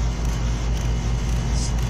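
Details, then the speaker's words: R410A air conditioning compressor during pump-down: deep, heavy hum with a rapid, uneven rattle pulsing through it, indicating a restricted system. "gonna make a sound of restriction that noise never will rattle you'll hear that if you have a restricted unit we do have a restricted unit"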